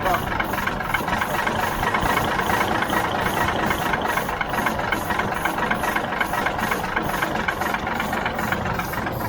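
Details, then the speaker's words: 1977 Mack R-model diesel cranks heavily with rough, uneven pulses about four a second, catching only on ether. The injector pump receives fuel but sprays nothing out. No-start from no injector pump delivery. "nothing's coming out of the injector pump that is not good so we know we're getting fuel to there and we should be getting some plunge of some fuel spraying out of these but we're not"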